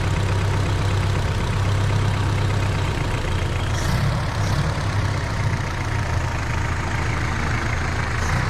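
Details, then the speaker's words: 1931 Ford Model A after a first-time engine swap, with the fuel pump fitted and the carburetor adjusted. Deep, steady low idle with an even beat and no knocks underneath; a healthy, normal idle. "Joshy adjusted the carburetor. Let's suspend any music and just listen to that purring engine."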